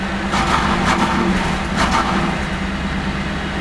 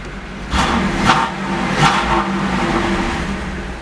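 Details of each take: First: 1988 Chevrolet Camaro IROC 350 TPI, cold engine, check-engine light flashing, no codes stored: V8 stumbles and falls on its face on light throttle, won't rev, misfiring; fixed by replacing distributor ignition control module (ICM); computer later replaced. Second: 1988 Camaro IROC 350 TPI with intermittent misfire, stalling and a flashing check engine light but no stored codes: idles evenly and takes two quick blips cleanly, no sputter. Bad ICM and computer were later replaced.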